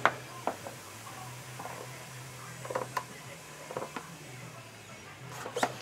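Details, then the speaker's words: Hand-pump vacuum canning of rice in a jar with a ring; soft irregular pops and ticks as the lid flexes back and forth under vacuum over a faint hum; lid flexing as vacuum is pulled, jar sealing normally. "Now I can hear that lid in there. popping back and forth when I pull vacuum."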